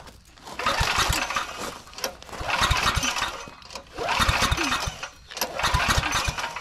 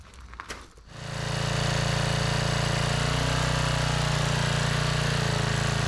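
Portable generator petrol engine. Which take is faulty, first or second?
first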